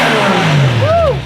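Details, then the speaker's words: Car engine revving quickly and cleanly, rising and falling smoothly without stumble, pop or misfire, after correcting a backwards-installed MAF sensor; runs, revs and sounds great. "So as of right now, yeah. It runs. It revs. We hear it. Sounds great."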